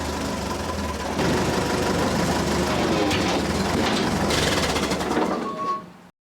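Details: Ford 8N tractor, flathead four-cylinder, four-speed, front loader, just after a long-overdue oil change: even four-cylinder chug at about four beats a second, picking up as it drives off, then shut down; sounds healthy, no knock.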